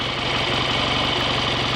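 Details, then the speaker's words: Freshly rebuilt BSA A65 Lightning twin with a replacement crank, ignition timing not yet checked, strong oil return: quick, even idle beat with a crisp mechanical clatter on top, holding steady speed; sounds better than before the rebuild; normal idle. "sounds a bit better than it did last time I heard it ringing anyway"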